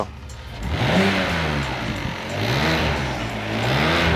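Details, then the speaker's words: BMW E60 petrol engine, warmed about 3 minutes, revved with the DISA intake valve connected: raspy, breathy vibration rising with revs like an exhaust leak but not one; sounds better with DISA disconnected, cause unconfirmed. "como fuga de escape pero no es"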